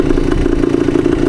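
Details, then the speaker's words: 1972 Yamaha DT2 two-stroke enduro, one-kick start, key in middle position: quick even two-stroke putter with steady pulses, no misses or knocks; clean healthy idle. "So I'm just going to leave this in the middle position. Get her fired up. idle's nice."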